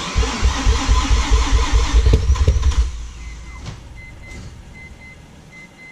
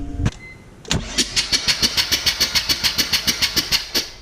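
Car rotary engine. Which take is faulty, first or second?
first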